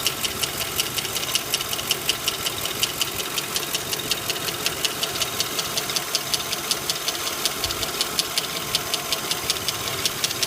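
Fast, light, even ticking around two to three per second rides over a steady idle; sounds like valvetrain tick, cause unconfirmed.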